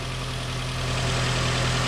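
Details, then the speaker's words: Nissan Rogue idling after ignition coil and spark plug replacement, no check engine light, some oil burning off; steady even idle, smooth low hum, no misfire stumble or ticking; normal, second cylinder to be monitored for oil. "Now you can hear the difference. That's what it's supposed to sound like. That's 110 times better."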